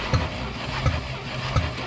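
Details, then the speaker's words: 1967 International Scout, long abandoned, cranking: building compression but air puffing back through the carburetor about every 0.7 s; sticking valve suspected on number four cylinder; compression still just shy of 120, blow-back later quieted. "You hear it building compression or it's building some. But listen here. Is that coming through the carburetor? You dang right it is."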